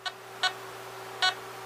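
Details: Harbor Freight 9-function metal detector after trimmer potentiometer swap, RV11 being tuned near 62.5–63 V peak-to-peak: three short bright beeps at uneven intervals over a faint hum with no target, stopping once adjusted past threshold.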